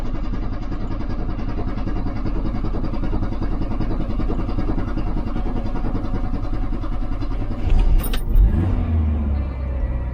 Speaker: She's up. She's running.